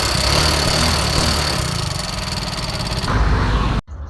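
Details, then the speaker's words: Yamaha Mio Soul GT 125 scooter smoking heavily: busy metallic chatter over the engine beat; the usual cause is worn, loose rocker arm bearings rattling in the head. "Oke teman-teman di video kali ini saya kedatangan motor Mio Soul GT yang mengalami masalah mesinnya itu suaranya keemericik teman-teman dan Ini motor pun ngebul Ya seperti kereta api"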